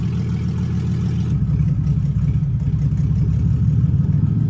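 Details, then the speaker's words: 2008 Chevy Express van, catalytic converters missing, revs held a little high to avoid stalling, heading to muffler shop: deep, loud, raspy idle rumble with steady pulse and few high tones, open exhaust without cats. "All right, so I'm gonna go get these mufflers fixed because it's kind of ratchet."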